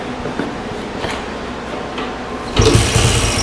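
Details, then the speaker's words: 1968 Benelli Mojave 260 single-cylinder motorcycle, sitting for over two decades, kick-started: light ticking, then a brief rough burst of firing that fades and dies. The throttle slide may be stuck, and the owner suspects the carburetor needs cleaning. "oh it wants to run [Music] shoot okay [Music] let's see maybe just putting fuel in it's not going to do it and my carburetor may need to be cleaned"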